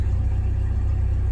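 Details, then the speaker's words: 1997 Jeep Wrangler TJ SE 2.5L four-cylinder manual, ~204,300 miles, new remanufactured PCM, after plugging back in the forgotten sensor and restoring relays: deep, smooth, even idle with no ticks or stumbles, normal. "So I plugged that back in. Put all the relays in their original location, so let's give it another try. And it runs."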